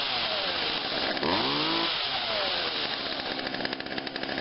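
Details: Craftsman 16-inch chainsaw made by Poulan, after coil cleaning and adjustment, carb cleaning and adjustment, dead cold next day on choke: fires on the pull, revs up with a rising buzz and keeps running steadily at high idle; healthy running.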